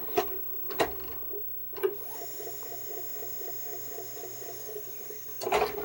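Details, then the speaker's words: Sony VHS/DVD combo with HDMI, after blocking light from the sensors. Sharp clicks and a soft whirring motor with a faint rhythmic rub, but the tape isn't ejected. Owner suspects the sensors or the mode switch. "well made it did you hear that it made a different noise that time it didn't pop it out let's try that again"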